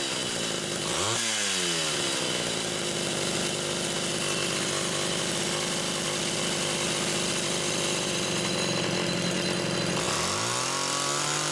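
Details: Homelite Super XL chainsaw test-running carburetor number 2 after its Welch plug was replaced; both mixture screws had been over 3.5 turns open. A quick blip, then a steady, clean high-rev scream with no sag or burble, and another snappy rev near the end. Judged good.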